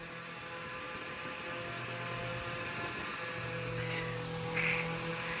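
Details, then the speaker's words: 10-inch Eskimo oscillating fan after rewiring and tune-up, drawing 58 W (rated 55 W), 0.71 A: even motor buzz over a steady low hum, no longer the earlier horrible rattle as it oscillates; normal running. "You can see it now oscillates. It's not making that horrible rattling sound. It's just that nice buzzing sound. And to be honest, I really do like that sound, if I'm being really honest."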